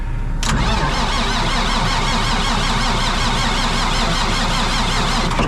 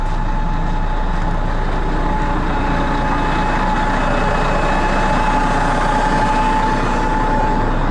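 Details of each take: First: Old diesel machine ('Niner') on a trailer on a very cold morning, no pan heater fitted: the starter cranks it steadily for about five seconds and it never catches; a cold diesel that won't fire. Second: Cat diesel idling cold to warm up, loud and steady with a faint even whine as the hydraulic pump builds 300-plus PSI to charge the accumulators; it would howl louder in neutral; normal cold idle.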